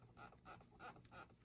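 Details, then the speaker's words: 2004 Mitsubishi Galant 3.8L V6 6G75 non-MIVEC, original OEM water pump at 180,000 miles, coolant drained, suspected coolant-loss source: faint high chirping squeak about three times a second under engine hum; worn water pump bearing, pump being replaced. "And it's squeaking. This is an OEM water pump at 180,000 miles."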